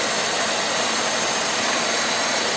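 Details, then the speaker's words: 1995 Oldsmobile 88 3.8L 3800 V6, warm idle after Dorman 615-180 upper intake manifold replacement for coolant leak: steady, even idle with smooth hiss, no ticks or knocks; normal idle. "other than that you can see Monte's aing again in no ticks no knocks good to go"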